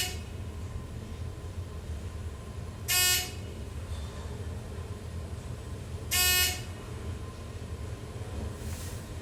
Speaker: as you can hear the machine this is quite audible that's because it's right there in the chef's this is it moral traction there